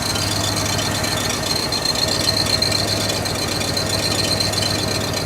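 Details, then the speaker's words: 1969 Buick Riviera GS revived after about 30 years sitting, engine running rough: thin high metallic squeak with light rattle, seemingly from the rear; transmission suspected, unconfirmed. "I've never heard one squeak like that though that sounds like metal yeah like thin metal well if it's thin it'll wear out pretty quick"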